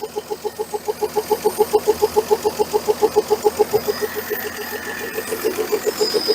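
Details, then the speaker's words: 1968 Dodge Dart 270 slant six, first start after sitting, hot-wired: even, regular exhaust pulses at relaxed idle, no misses, knocks or smoke; idling smoothly like new. "so now we know this little thing runs like a brand new and I am not kidding you just sit there and purrs like a kitten and uh and it fired right up"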